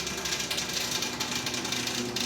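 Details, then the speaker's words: Rolls-Royce Phantom, ventilation switched on: steady hiss of rushing air with a fast rattling ratchet-like chatter beneath; the ventilation fan is noisy and needs fixing. "let me turn this ventilation on okay that sounds terrible we got to fix that fan"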